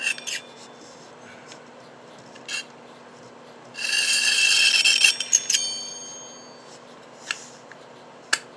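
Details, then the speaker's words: Western Auto Supply Revelation V1326 automatic fly reel, non-functioning, during reassembly: harsh dry rasp over a second as it turns, with scattered clicks; internal rubbing, owner suspects a small part is the issue. "definitely like something's rubbing that shouldn't be."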